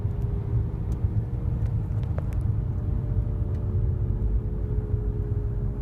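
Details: 2008 Nissan Altima while driving: a steady, airplane-like low droning hum under road noise that grows louder when accelerating and softens when slowing; the owner suspects a CVT transmission issue, unconfirmed.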